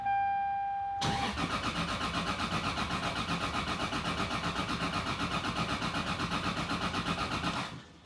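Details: Single-turbo Toyota Supra being revived, first start attempt after the fuel pump primes and a new accessory belt is fitted; even cranking at about four beats a second for 6.5 seconds without firing; crank, no start, cause unknown.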